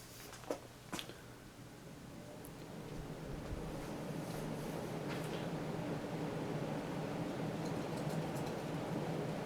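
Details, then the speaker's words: 1997 Hunter Original 52-inch ceiling fan model 23855, 3-speed reversible, started on high: soft even whoosh builds then holds steady, no knock, rub or rattle; slight wobble blamed on possibly warped blades, otherwise very smooth running. "It's got a bit of wobble to it, but I think these blades are kind of warped a little bit. But otherwise, it's a very smooth running fan."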